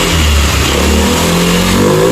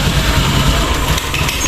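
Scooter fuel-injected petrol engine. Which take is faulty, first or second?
second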